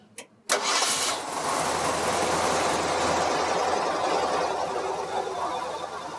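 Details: 1952 Ford pickup with Ford 351 Cleveland V8, automatic with floor shifter, raised motor mounts, new fuel pump, driven maybe 40 miles: short crank, catches at once, smooth even V8 rumble with no misses or knocks; normal healthy start and idle.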